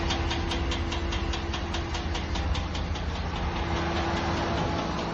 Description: Just had this weird ticking sound in my engine bay. It just started. Does anyone have a clue?